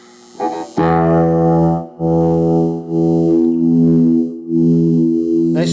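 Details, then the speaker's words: Small flea-market guitar practice amp after cleaning its noisy volume and tone pots with DeoxIT Fader F5: guitar chords ring out cleanly, with no crackle or scratching between strums, and the controls are now quiet and smooth. "quiet an attorney much smoother now and so it's just that easy"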